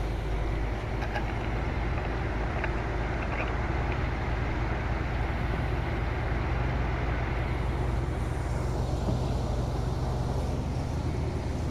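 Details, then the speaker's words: 1975 Chevy C10 short-bed with 350 small-block V8, long-sitting and fed from a temporary fuel line and funnel, idles steadily and evenly with a low burble, no misses, knocks or ticks; normal idle. "That motherfucker running so good, bro. I guarantee y'all, that bit running good too."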